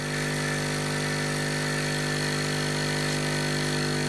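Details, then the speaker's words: Hailea ACO-318 45 W laser air assist pump sitting on a table: steady even hum with a fine buzzing rattle over a constant drone; the pump vibrates and skates across the surface. "not really so it is vibrating I can feel it vibrating so I'm now going to try four folds of a microfiber"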